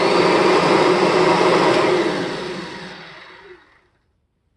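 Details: 1993 Kirby G-series vacuum after polishing and reassembly; motor whine drops smoothly in pitch and fades over about three seconds with no grinding or scraping; bearings sound healthy; normal motor wind-down.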